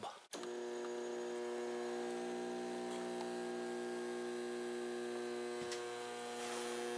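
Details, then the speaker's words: Old mercury vapor lamp ballast bench-tested on a table, wired as in the light, with bulb: loud steady mains hum with a buzzy edge, vibrating through the table; 2.13 A, 65 W, 242 VA, 0.26 power factor; quiet without bulb. "very noisy vibrating a lot it's like reverberating through the table"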